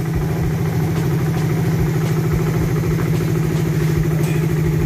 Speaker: So ano to second gen yan ganyan yung tunog ng makina ni paps